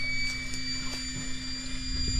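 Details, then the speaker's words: Newly installed above-ground oil tank being filled by transfer pump with red oil: a thin, steady high whistle under a low room hum as oil flows; the tank whistle vent is working normally. "We'll go back inside and, oh, hear that? That's the whistle vent."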